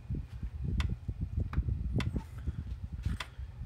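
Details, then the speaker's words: PEL 609 electric fence charger (early-to-mid 1990s) after repair: sharp, regular clicks about once a second over a low hum, pulsing normally where before it stayed on solid and never clicked. "Alright, now you hear it clicking. Wasn't doing that before,"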